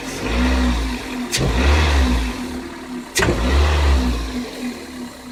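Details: Car engine: one small crisp metallic tick from the engine area at the start of each sharp throttle blip. Denso iridium plugs at 26,000 km, Shell 0W-40 oil at 6,000 km, possibly bad AI-92 fuel, frost to −53°C; owner asks whether the cold matters. Cause unknown.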